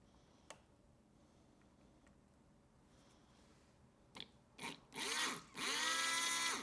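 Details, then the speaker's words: Old, dirty fuel pump removed from a 1986 Corvette C4, bench-tested on a 12 V battery: two short bursts of high, steady electric whir as power connects; pump spins up cleanly and still works. "wow fuel pump is still working wow I'm surprised honestly after all that fuel p is working"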